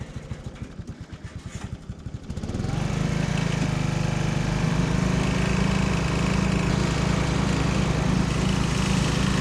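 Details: 1979 John Deere Model 68 riding mower, five-speed, running again after years, cover removed and burning oil: slow even cranking, catches after about two seconds, then steady single-cylinder drone under mowing load; runs normally.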